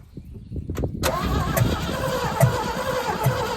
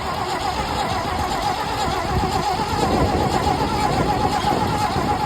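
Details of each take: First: 1974 GMC 6000 truck parked for 22 years, on a new battery with fuel splashed into the carburetor: the starter cranks noticeably faster at a steady beat with uneven chuffs, possibly some firing, but it never runs on its own. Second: 1974 GMC 6000 truck V8, parked 22 years, carburetor removed: starter spins the engine steadily with an even churning rhythm and no firing, while testing whether the primed fuel pump delivers through a hooked-up line; pump confirmed working.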